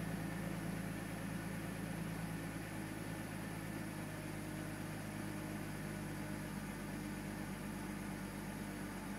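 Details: BMW Z4: steady idle hum with faint uneven pulsing underneath, roughly four beats a second, not keeping good time; rough idle.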